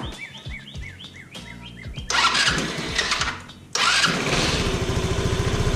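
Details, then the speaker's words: 150cc GY6 scooter shown running as it should: a couple of short cranks, then it fires easily and settles into a steady, even putter with a light blip; normal start and idle, no smoke. "i'll go ahead and start it up for you so you can hear what it sounds like when how it's really supposed to sound and how easily it starts"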